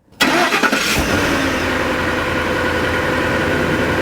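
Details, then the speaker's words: Car cranks and catches, then idles with a harsh, raspy, farty puffing hiss from rust holes in the muffler, an exhaust leak that can get very loud, before repair with muffler tape and weld; exhaust smell noted. "You're gonna hear what an exhaust leak sounds like, and it sounds a little farty."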